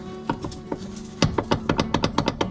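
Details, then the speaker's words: 1994 Chevy Corvette C4 front brake calipers knocking when brakes applied: sharp metallic clacks in uneven bursts from pads missing anti-rattle clips; fixed with new front brake hardware clip kit. "you think that's normal yeah no not normal that is not a normal sound"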